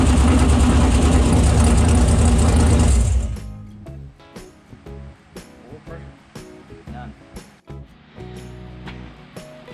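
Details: Stock 6.0L LS V8 with 243 heads, carburetor, new BTR Stage 5 drag-race cam, start-up after cam install: loud lumpy V8 fires and runs hard about three seconds, then shut off because oil pressure/temperature sensors were unplugged; scattered ticks remain.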